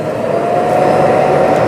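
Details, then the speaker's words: Roborock Qrevo dock emptying the robot's bin before washing the mop, all in one position: constant airy suction roar over a steady mid-pitched motor hum, not super loud, no rattles or strain; normal self-emptying. "Now the Qrevo should empty everything out and then wash the mop."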